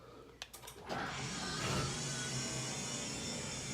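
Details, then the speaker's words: Destiny 1120 belt-drive overhead garage door opener with a door replaced about 6 months ago, run from the button: click, then a smooth quiet motor whirr with steady belt travel and no grinding; quiet and fast, normal. "Pretty quiet and pretty fast."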